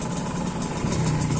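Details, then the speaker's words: Two-stroke Kawasaki Ninja RR, bought used, at idle: uneven, lumpy, wavering engine sound, now fairly rough compared with smooth before; aftermarket exhaust leaking throughout; cause not pinned down. "kalau untuk sekarang untuk sekarang suaranya Udah udah lumayan kasar ya"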